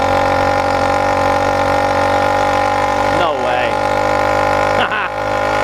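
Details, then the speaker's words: 100cc PK100 motorized bicycle two-stroke, freshly rebuilt with a new iron-sleeved cylinder and a changed port map, still breaking in, climbing a steep hill with over 330 lb from 5 mph. A steady buzz holding pitch with brief dips: strong bottom end, healthy running. "This thing's got all kinds of get up and go now on the bottom end."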